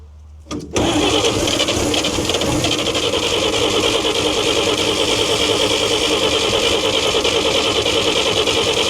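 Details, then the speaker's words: 1942 Chevrolet Blitz CMP 4WD truck, 216 petrol straight-six, sat for years: starter cranks at steady rhythm, engine never catches; owner unsure if flooded or not enough fuel, then says she's flooded. "I don't know if she's flooded or not enough. If I tip any more in there, she'll I could certainly try. Just might have to wait for it to clear itself. Nice and flooded. I would just say she's flooded."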